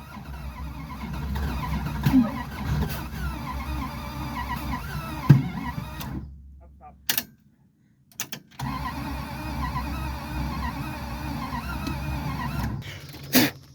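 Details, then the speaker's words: Plymouth Satellite wagon abandoned in a field since the 1990s, starter fitted, new plugs in, points sparking, fuel added: two long bursts of even cranking, turning over steadily but never firing; cranks, no start, motor later seized. "well unfortunately the motor never did start it ended up seizing up"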